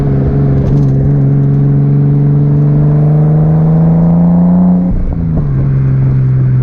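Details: 1989 Nissan Skyline R32 GTS-t on a test drive after fitting new cheap coil packs, exhaust audible: pitch rises steadily to a gear change with no stutter or popping; smooth acceleration under boost.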